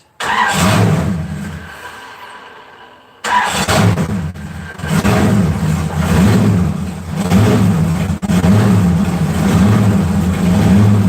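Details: 4.8 LS V8 being started and run: catches, revs and settles to a lumpy, loud idle with a raspy puffing edge from an exhaust leak; exhaust leak.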